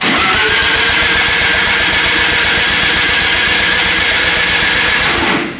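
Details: 13B turbo rotary drift build, first start, retry after a timing change: fast, even cranking with turbo hiss, spooling on crank, not catching. It later runs funky as the timing wanders.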